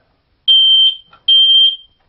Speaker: if you want to test a smoke detector to see if it's working one way to do that is you press a button and you hold it down for a minute and